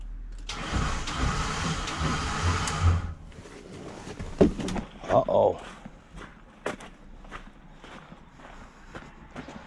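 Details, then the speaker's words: Ford E250 van, battery at 12.5 V: harsh grinding rasp for about 2.5 s while cranking, then cuts out; starter not engaging the flywheel, with a cracked transmission housing at the starter mount and a broken ground wire, suspected missing solenoid ground path. "Ah, starter's gone. Starters are 100% gone. That does not sound good at all."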